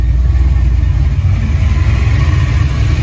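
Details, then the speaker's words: Ford 5.0 302 V8 after refitting a roller rocker that had come off from improper installation: smooth deep idle, even low rumble, no valvetrain ticking or knocking; back to normal, quiet, no lifter noise. "That is certainly a sound I thought I would never hear again, at least not with this engine. Wow, I am stunned. It's back to its normal old self."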